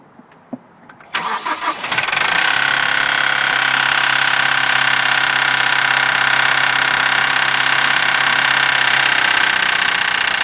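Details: Mazdaspeed 6 after a week of very cold weather; the noise began after a loud pop when boost engaged at about half throttle with the car nearly warm. Starts, then idles with a harsh metallic clatter at a steady quick rate. Owner asks whether it is the turbo, VVT valve or chain; cause undetermined.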